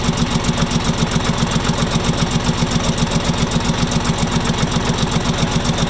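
Sharp, very even knock about two and a half times a second over a steady diesel idle; a clear engine knock, cause not yet known.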